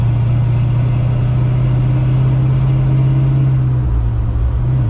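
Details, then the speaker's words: 1970 Dodge D100 after a rear end swap, driving through second at 18 and into third at about 30 mph: a steady exhaust drone that drops on the shift, with no whine, howl or grinding from the rear end. The axle sounds healthy. "as you can hear hopefully over the exhaust there's no whining there's no howling there's no there's no grinding nothing with it with this rear end i am very pleased very very happy with it"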